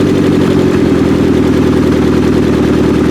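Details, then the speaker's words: 1995 Acura Integra LS with a built turbo B18 on first start-up after a cam install: loud, lumpy idle with an uneven chuff every cycle; one cylinder is dead, and a valve lash problem is suspected. "But it does run on 3 cylinders, so we have a win. 3 out of 4 is not bad."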